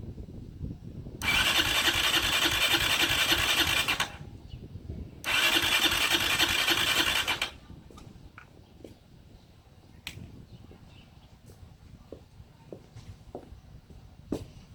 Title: 660r cranks no start